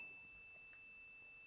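A steady high-pitched continuous beep from the meter, the continuity tone showing the fuse is good and conducting.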